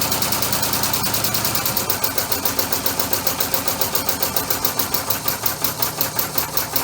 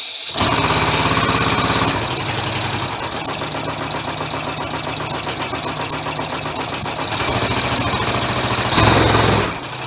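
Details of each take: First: Three-cylinder orbital compressed-air engine on single-shaft push-pull valves, quick even exhaust puffs in a steady beat; runs a lot smoother with three cylinders, though a slight miss from one valve is later suspected. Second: Homemade three-cylinder orbital compressed-air engine with a single-shaft push-pull valve, mounted on a hollow workbench: fast, loud, regular clatter from pistons and valves, boomed and amplified by the bench like a loudspeaker.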